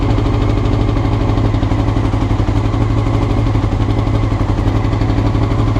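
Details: Honda CBR motorcycle recorded before changing the float needles: a fast, raised idle with an uneven, lumpy beat instead of a smooth pulse; rough, high idle, cause suspected, not confirmed.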